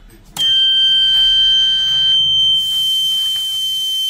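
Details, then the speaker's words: Microtek EB 1100 inverter, fault alarm: steady high-pitched tone, 12 V and 5 V present but no output; suspected micro IC or crystal fault, micro IC to be replaced first; not confirmed. "इस condition में हमारा 2-3 ही fault होता है, या तो micro IC, PF crystal."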